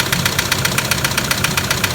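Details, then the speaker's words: 2007 Toyota Land Cruiser Prado 120 with the 1KD diesel at 230k, just started cold; sharp, loud, regular metallic knocking, about six per second, over a rough idle. Serious internal knock; a blocked oil pickup is suspected, to be checked. "That's bad. I didn't say anything."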